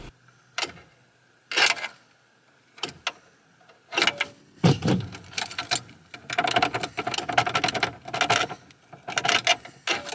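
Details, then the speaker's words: 1988 Toyota pickup, 22RE, before repair: single sharp clicks on each key turn with no cranking, an intermittent no-start. Starter, battery and cable are all new. The owner suspects a known early-truck wiring flaw starving the starter relay/solenoid of voltage. "usually when you really need the truck to start you just go to start it and it clicks so since this is being recorded it'll probably start the first time of course but i do have footage of what it normally does"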